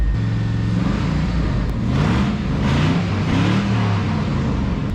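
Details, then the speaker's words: LS-swapped 1999 Chevrolet S-10 pickup with aftermarket AC: deep loud V8 rumble rising with revs, raw, unmuffled and raspy; blown-out mufflers. "Old girl sounds like crap. She's got blown out mufflers, guys."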